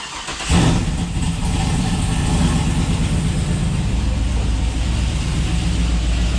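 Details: GMC Denali 6.2 V8 with BTR stage 2 truck cam and 2800 Circle D stall converter, first start on a base tune, just idling, not revved: heavy, loping idle with deep uneven chop, normal for a big cam.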